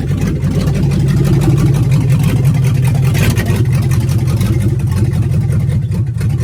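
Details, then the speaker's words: Budget $500 283 small-block Chevy with Turbo 350 in 1985 Oldsmobile Cutlass, ill-fitting headers, driving slowly: deep V8 burble with uneven, lumpy beat and no crispness on throttle; runs terribly, needs a lot of fine tuning. "hey the 283 or $500 283 runs it needs a lot of fine tuning as you guys can tell which we'll get into in the next time"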